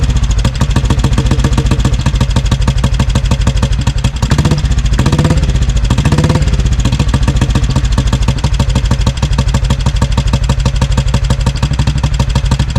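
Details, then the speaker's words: 1957 500 Bullet single, first run after nine months of ownership, petrol turned off: lumpy, uneven thumping smooths out as fuel runs low, showing the carburetor was flooding it rich. Carburetor removal is planned next. "That's with the petrol turned off. And you can see here as it starts to run out of petrol, it starts running nice and evenly. So, I was just flooding it."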